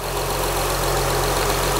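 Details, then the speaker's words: 2004 Acura TL 3.2L replacement engine: even, steady idle with a smooth hum and no skipping, all cylinders firing, check engine light off, smoke burning off. "but that is running nice now very nice okay now it's running smoothly check engines light not flashing or anything not even on anymore"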